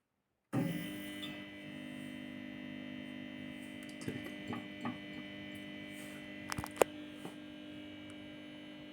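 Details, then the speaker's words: 250 W street lamp luminaire (Indalux IVA 2) with magnetic ballast warming up: steady loud mains hum with a buzzy edge that slows slightly once at full output; usual noise for 250 W ballasts, nothing wrong. "J'entends le ballast qui a ralenti un peu, son bruit a un peu ralenti."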